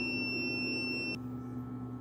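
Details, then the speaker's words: Snadi 3 kW inverter, battery 26.5 V, output normal, not muted: steady unbroken high beep over a low hum, then an abrupt cut-off. Battery ruled out; the inverter was opened to check its buzzer and found very dusty inside. "So aalamin natin guys may output naman siya normal naman yung kwan niya may output siya at saka yung beef lang talaga niya ang problema palaging nagbi-beep."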